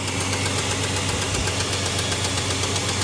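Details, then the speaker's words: Towed-in Dodge Dakota 3.7 L, still warm from the tow, suspected overheated and lost coolant: uneven, stumbling idle with a rough tapping beat about four a second. Bad misfire on at least one cylinder, popping hard through the intake; head gasket failure suspected, unconfirmed. "we're misfiring real bad on at least one cylinders one whoa one one cylinder and it's popping through the intake pretty hard"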